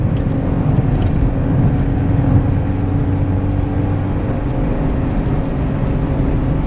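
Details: Honda Civic EK with swapped-in Del Sol S20 transmission replacing S40, while driving: steady low hum and faint whine over road and engine noise; bad transmission bearings suspected.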